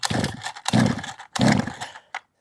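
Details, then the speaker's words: 1/5th scale petrol two-stroke RC car, not run for quite some time, not yet at operating temperature: ragged bursts rising and falling unevenly, cutting out after about two seconds; tick over set too low. "start with, the tick over is even a bit low, so you shouldn't really do any adjustments whatsoever until the engine's at its operating temperature."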